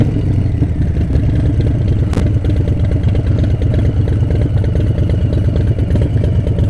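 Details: Harley-Davidson 131 Breakout M8 engine: heavy loping idle with an uneven knocking clatter roughly three times a second, sounding like engine knock; cause unknown.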